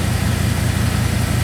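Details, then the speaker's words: 2002 Chevrolet Silverado 2500HD idling after a new ACDelco power steering pump, wheel turned lock to lock: smooth low even thrum with no whine; the pump, previously labored when braking and turning, now sounds quiet. "hopefully I don't hear the pump any more it sounds pretty good right now guys I don't I'm not hearing much anyway"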